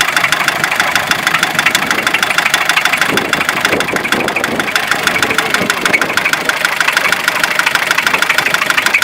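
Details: Fiat Ducato 2.5 TDI diesel at idle: sharp regular ticking knock about three per second riding on top of the idle; engine knock, source not pinned down.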